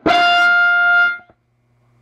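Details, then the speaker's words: Recapped Sparton 931 tube radio tuned below 850, volume-dependent: loud steady mid-pitch howl about a second, then near silence; oscillation, also microphonic. Owner suspects new capacitors placed near the coils. "just oscillates and then if you turn it up all the way it's just dead quiet all the way down see how microphonic that is"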